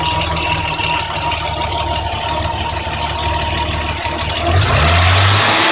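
Regular light ticking about four per second over a smooth six-cylinder idle that quickens with the rev; valve train noise, cause unclear.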